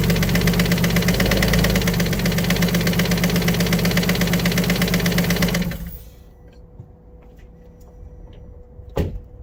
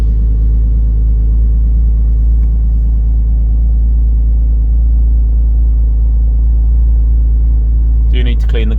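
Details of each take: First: Alfa Romeo 147 GTA (Japanese import) engine at idle: sharp, even ticking about two to three a second until shutdown, a valve or hydraulic lifter tick; top end must come off, possibly both heads rebuilt, bottom end hoped okay. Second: Alfa Romeo 147 GTA after a full engine rebuild, with a coolant leak at the thermostat resealed: a steady, even low engine rumble with no knocks or ticks. It runs smoothly, and the rebuilt engine sounds healthy.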